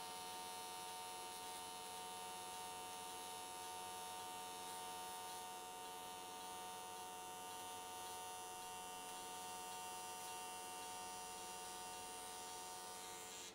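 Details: AC TIG welding an S13 catch can, likely aluminium, at 95 Hz square wave. Steady, even electric buzz holding without wavering for the whole pass. Normal, stable arc, judged a good choice that carried the weld all the way around in one session.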